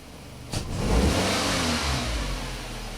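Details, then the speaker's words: 2003 Nissan Altima 2.5S four-cylinder automatic with P1102 and poor idle, snap throttle test: revs rise sluggishly and fade with hesitation, MAF voltage erratic; failing mass air flow sensor. "We got an initial spike that's okay, but all that up and down, you can, I don't know if you can hear the hesitation also. You hit the gas and it doesn't want to do anything."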